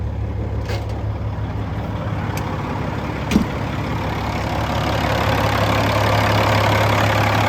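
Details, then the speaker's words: 2007 Peterbilt 386 diesel with Eaton 13-speed manual, warm idle with cruise off: steady, even low rumble at constant speed, no knocks or misses; sounds healthy. "Let's get this thing down to idle. Let's have a listen to it running, and I'll get that oil filler cap off, and we can see how much blow-by is coming out of it."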